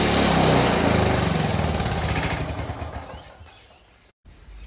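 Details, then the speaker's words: Free curbside Victa Turbo Disc two-stroke lawnmower, after a carburetor service with new primer cap, needle and cleaned main jet plus a pull cord repair: catches on the first pull into an even, rapid two-stroke buzz; normal start and run. "first pull after we've done that little mini restoration on the carburetor and fix that boot not bad for a free Vector off the side of the road"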